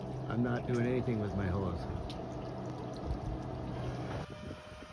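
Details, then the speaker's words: Clogged dryer vent with trapped water, leaking onto the kitchen ceiling and island: gurgling, sloshing water in the duct over a steady blower drone as laundry moisture couldn't escape. "I can hear it it's like gurgling"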